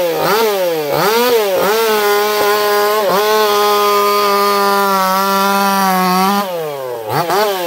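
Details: Echo CS4910 chainsaw with experimental taper-top piston/crank swap, ported for open crank, running a little warm, compression about 180 psi cold, 170 warm; crisp high rev dips as chain bites and picks up cleanly, pulling strong and healthy.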